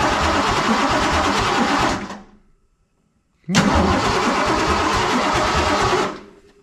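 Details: 347 stroker V8 in a Ford F150, first start attempt after the build: steady fast starter churning about two seconds, a pause, then another long crank; never catches or fires. Owner suspects distributor; cause not confirmed.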